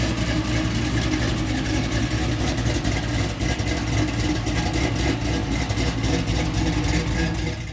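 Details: LS-swapped fuel-injected Oldsmobile Cutlass V8 after no-start repair, pinched fuel pump circuit wire that shorted the relay and set a fault code fixed: steady low rumble, even pulse, no misses or surges; healthy idle.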